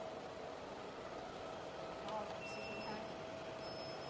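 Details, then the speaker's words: 200W jewelry laser welding machine chiller just switched on, water level too low: soft repeated high beeps over quiet hum; low water alarm until auto-fill button tops up pure/distilled water. "You can hear there is warming when water is not enough. Click this button to add water automatically."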